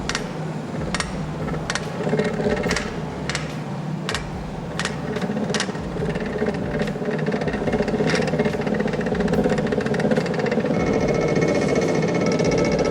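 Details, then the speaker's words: Restored 19th-century water-powered trip hammer at a sawmill, test run after wedge adjustment of striking rhythm, upper anvil offset right: quick even blows about four a second over a deep rumble, settling steady and vibration-free; runs true. "Once the strikes become steady, deep, and vibration-free, the trial run concludes."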